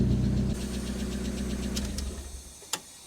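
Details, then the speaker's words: Fire-damaged Mk1 Mazda MX-5, previously dead on cylinders 1 and 4 after a harness change, now idling with a replacement ECU and immobiliser: smooth, even low idle, no stumble, then switched off; healthy. "now that sounds better that is a smoother engine sounds loads better"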